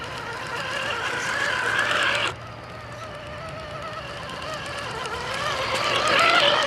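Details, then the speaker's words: Axial RR10 Bomber RC crawler: small electric drivetrain whine with a faint repeating click, first suspected as sand or gravel in the driveline but actually a transmission lacking grease. "I had a couple people asking what the clicking sound was and to be honest when I recorded it I didn't notice it until I started the editing"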